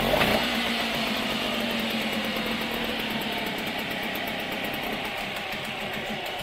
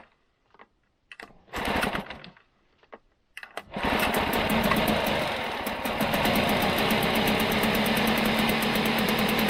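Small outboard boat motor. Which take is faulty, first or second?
second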